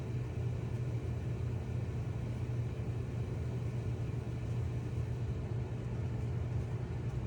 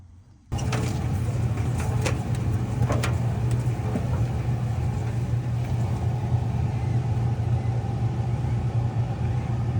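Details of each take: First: Whirlpool/Maytag dryer after new belt and drum rollers installed, previously squealing/grinding; low even hum at steady pitch, stronger and smooth, no scraping or grinding; drum turns smoothly on good rollers. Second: Whirlpool/Maytag dryer that was squealing, test with the drum held back by hand: steady low motor rumble continues while the drum stops easily; the worn belt slips on the drum, motor is fine; belt and rollers replaced.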